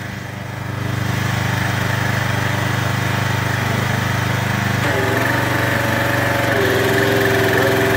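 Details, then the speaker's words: Craftsman 2700 PSI pressure washer with Briggs & Stratton 275cc OHV after repair, on the other chassis outdoors in heavy rain: a steady, even idle with the unloader cycling audibly. It is running well with no leaks and the unloader working. "it's running really good there's no leaks there's no issues the unloader is working good we're done"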